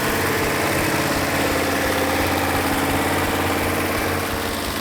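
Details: Rebuilt second-generation Hemi V8, first run in decades, after slight timing and carburetor adjustment: steady lumpy idle with even beat, no skips, pops or stumbles, all eight cylinders firing equally; normal idle.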